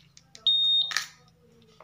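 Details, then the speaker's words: Honda Vario 150 smart key system after pairing: two clear steady high beeps with a soft click between. Ignition on, fuel pump hums a few seconds then stops, normal response. "kontak off kontak on full P dengung beberapa detik mati"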